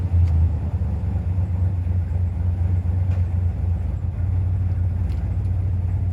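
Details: 1995 Impala SS with Blueprint crate LT1 355 and LT4 hot cam, back from exhaust shop with most exhaust leaks repaired: deep even V8 burble at idle, no ticking or puffing; sounds healthy.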